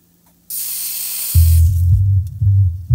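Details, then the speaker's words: Polk Audio PSW505 subwoofer that pops, crackles and cycles power: freeze spray hisses on small transistor Q1 (MMBT5551) and the bass thumps cut back in; thermal intermittent transistor fault, so Q1 will be replaced. "after moving the wiring harness over it's a little transistor here q1 takes just a drop of free spray the kick it back on"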